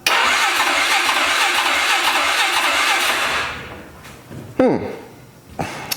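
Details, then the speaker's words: 2003 Polaris 500 H.O. ATV engine (167 hours, oil spraying into airbox), cranking with dry fuel tank: about three and a half seconds of even cranking at normal speed with regular compression pulses; healthy cranking, good compression. "The way it's spinning over sounds pretty decent. It's not spinning over super duper fast where uh it sounds like the motor is weak."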